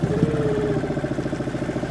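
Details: Suzuki 2.5 outboard on a boat after its carburettor was cleaned ultrasonically to fix idle problems, manoeuvring to moor: ticking over at a steady, even low idle with a soft regular patter and no misses, running sweetly, a normal idle.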